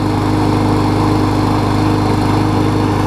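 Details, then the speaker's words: Murray mower with a 21-inch blade after a replacement engine swapped onto its deck (original shaft sheared): a steady, even single-cylinder drone at constant speed, no misses, knocks or surging; normal running. "yeah we're running good like I said I've got more videos coming up"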